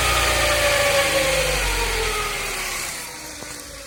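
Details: 2006 Hyundai Coupe 2.0 gen 3.5: whirring whine over the engine dropping in pitch as revs fall, peaking around 1500–1600 rpm; caused by overtight timing belt straining pulleys.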